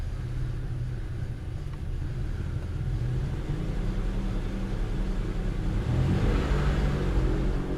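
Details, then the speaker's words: 2005 Buick Terraza after 4T65-E transmission replacement, lifted with only the driver's side front wheel spinning in drive: deep, steady rumble swelling slightly with speed from a bad driver's side wheel bearing, unrelated to the transmission. "That's that damn rumbling noise. It's coming from the driver's side tire. You know what that means? That means I do have a bad wheel bearing."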